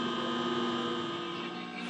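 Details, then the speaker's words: Admiral T2301 television after restoration, with a constant raspy buzz in the audio under the set's high whistle; the ratio detector ("buzz control") coil in the sound transformer is adjustable with a hex tool. "the top is a ratio detector that's what they call buzz control"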